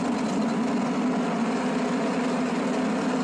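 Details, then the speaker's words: John Deere Z915E zero-turn with engine running and blades engaged; steady droning whine and rough gritty rumble from the deck, sounds terrible. "it sounds terrible all right so at this point i'm gonna hop off of it and lift this cover"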